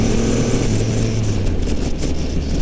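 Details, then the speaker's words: 2022 Triumph Rocket 3 R, 2500 cc three-cylinder, 165 hp, on a test ride in rider mode: deep three-cylinder drone with a few faint sharp cracks as the throttle closes; exhaust popping on deceleration. "There it goes. Hear the decel pop?"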